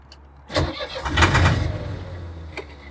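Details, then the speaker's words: Boat diesel engine after coolant replumbing and an impeller change, starter not hot: quick, even whirr that spins without any resistance or compression chugs, and it won't fire; cranking without compression, no start. "okay that sounds like it was spinning without any resistance at all"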